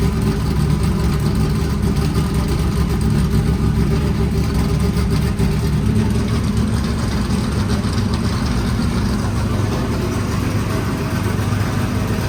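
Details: 1989 IMSA GTO Corvette V8 just started after 3 years, rear raised: deep, steady rumble with an even beat, no misses or knocks over twelve seconds; normal idle.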